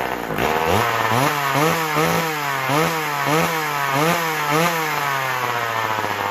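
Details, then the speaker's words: McCulloch Power Mac 6 Auto chainsaw, sat about 30 years and needing crank seals: revs surge up and sag back about twice a second instead of holding steady, not taking a tune; owner suspects the carburetor needs more work. "sounds like we might have to get back in the car there it's not it's taking a tune but it isn't taking it too if you know what i mean"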